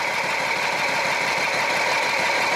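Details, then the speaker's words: 2007 Jeep Wrangler Rubicon Unlimited 3.8, code P0302: uneven, lumpy idle with stumbling beat under steady hiss; cylinder 2 misfire from weak coil pack barely sparking, new coil pack cured the miss. "with the test light going the ground I barely barely got a spark so now I know it's sparking so that's telling me that all the controls are going it's actually working but I'd say we have a bad coil"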